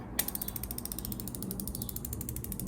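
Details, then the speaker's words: Ozempic injection pen set to its highest dose and injected into the arm: quick, even ratchet clicking, about ten clicks a second, steady until it stops. The pen is delivering the dose normally. "you hear it clicking down and then once that stops give it a few seconds then pull it out boom very easy to use no harm"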